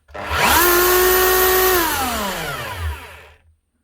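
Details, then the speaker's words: Makita HR3000C SDS hammer drill from 2000, 24 years old, motor spins up to a steady whine running too free and fast with no hammer blows; hammer not engaging, owner suspects a broken piston or fault in the head. "running very hard Hammer draw and Hammer doesn't sound right doesn't seem to be any hammer out of it a right she's running way too free and fast"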